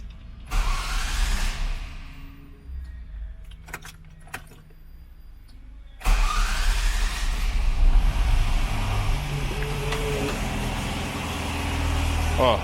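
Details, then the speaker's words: Ford Ka started in neutral, settling to a rough idle; a light throttle blip brings a harsh, rattly clatter over the engine. Source not yet identified; to be checked with a stethoscope. "o barulho que está fazendo Está um barulho muito ruim"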